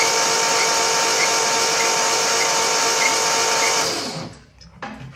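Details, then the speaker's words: 1971 Triumph TR6 parked since 2006, crank attempt: steady starter whine with a short high chirp about every half second; belt suspected, possibly points, unconfirmed. "Got a chirping, too. Maybe that belt."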